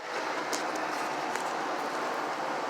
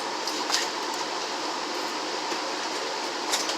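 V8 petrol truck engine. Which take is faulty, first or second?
first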